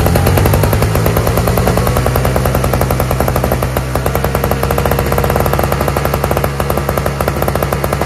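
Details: Toro/Craftsman single-stage two-stroke snowblower with electric start, running on fresh mixed gas after priming; rapid crisp even popping with no stumbling; all it needed was gas.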